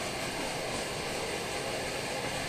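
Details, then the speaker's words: Primus OmniFuel stove on white gas with OmniDawg cap, bottle valve closed down: even, steady hissing roar, no chugging, burning cleanly and stably. Normal steady flame. "see it's slowing down as I close that down it'll stabilize and the chugging will stop and that's what you're looking for"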